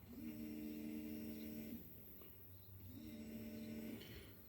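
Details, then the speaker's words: 1990 Nissan Fairlady 300ZX Twin Turbo: the electric fuel pump is run by bridging relay terminals 3 and 5 with the key off, to empty the tank. Two runs of a steady, even low hum show the pump running normally. "it's the pump going the ignition the key does not need to be on so if we bridge that that keeps our pump going"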